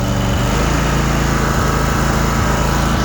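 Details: Cub Cadet RZT 54-inch zero-turn mower, revved back up after idling with the blades off. A loud even buzz at high speed with no stumbling or surging; the engine runs healthy.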